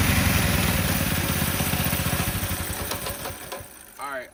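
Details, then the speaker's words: Coleman B200R mini bike single-cylinder revving with the clutch cover off: a rough, gritty grind through each firing pulse that fades as it slows. Grinding is heard coming from the clutch, suspected worn and in need of replacement. "know if you guys could hear that or not, but I'm still definitely hearing a grinding coming from, is that hot now? From this clutch. So I think it's time, I think we need to get a new clutch."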